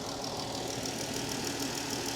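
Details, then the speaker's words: Dodge Challenger at Copart, 3.6 L VVT V6 idling, orange coolant; smooth steady low hum, no knocks or misses, engine really steady, slight visible crankshaft wobble of unknown significance; normal idle. "engine seems really steady you do get kind of a wobbly crankshaft right there that is a little bit of a wobble to it"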